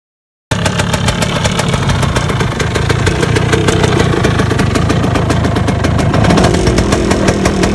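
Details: 1978 Yamaha DT175 Enduro two-stroke just rebuilt, idling: fast, uneven metallic clatter over the exhaust buzz; owner suspects piston slap needing a new piston and a rattly clutch basket needing rebuild, cause not confirmed.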